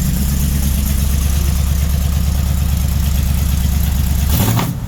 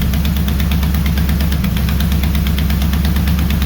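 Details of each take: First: Freshly built 400 big-block Mopar (4-speed, for a 1964 Dodge Polara 500) on first runs, fan moving air: deep, steady idle with smooth rev rises, no knocks or misses; sounds healthy; a header leak noted, not loud; normal idle. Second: Mopar 400 big block for a 1964 Dodge Polara 500, on a run stand at first fire-up. A sharp, quick tick rides the lumpy V8 idle, keeping pace with the firing. The header is leaking because a stud sits in the header tube and the flange can't seal; the stud end needs cutting.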